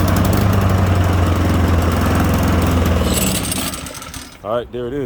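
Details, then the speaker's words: Honda HRN 216 push mower that wouldn't start, fixed again; fires and settles into steady, even single-cylinder putter about four beats a second. Normal running. "is so that's what did it the last time and here we go it fixed it again"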